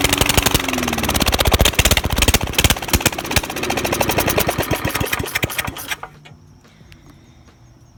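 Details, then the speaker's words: Old lawnmower single-cylinder engine revived after sitting, crusty muffler removed, head gasket known bad: loud sharp rapid popping from open exhaust before cutting out; running without muffler. "so i finally got this thing to work and that's what it sounds like with this old crusty muffler off there"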